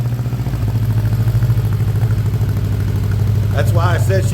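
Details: 1979 Honda GL1000 Goldwing flat-four after a carburetor rebuild, started without choke: uneven, lumpy idle of about three pulses a second, stumbling, with one side smoking. Rough running; owner suspects carbon buildup or bad seals fouling the plugs.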